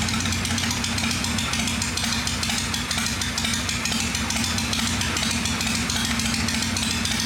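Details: "Little 81" V-twin motorcycle, freshly cleaned and tuned after starting up: loping, even idle with regular thumping pulses and no tick on top; normal idle.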